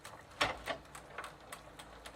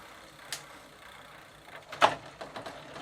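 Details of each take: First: Sturmey-Archer AB 3-speed internal gear hub after WD-40 softened the old lithium grease, coasting in third gear: light, evenly spaced ticks, about four a second, over a quiet background; normal freewheel pawl clicking. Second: 1990 Gazelle bicycle, Sturmey-Archer AB 3-speed hub with drum brake, WD40 added to soften old lithium grease, bench test in first gear; light irregular ticking and rattle following pedal strokes; chain sounds a bit loose, drivetrain needs replacing (suspected, not confirmed).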